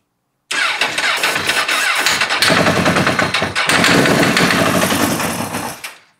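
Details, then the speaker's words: Wrecked Honda CBR motorcycle project, first start after bank angle sensor check: engine cranks and catches roughly with sharp metallic rattle as it fires; suspected spark knock or detonation, cause unconfirmed. "to me that sounds like spark knock or detonation"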